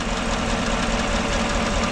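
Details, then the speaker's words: 2014 GMC truck, 5.3L V8, 81,000 miles, cylinder 1 misfire unchanged after plug swap: lumpy idle with steady rhythmic stumble each cycle; test light shows no spark at cylinder 1 coil, later confirmed faulty by coil swap. "here's a major no spark coming out of that I don't know get this cover pulled off and we can investigate a little bit further"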